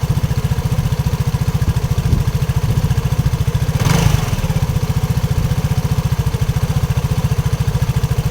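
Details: RUSI RFi 175 motorcycle engine: a low, even beat about 3.5 per second with a sharp tapping on each stroke. Knocking is present; the cause is unclear.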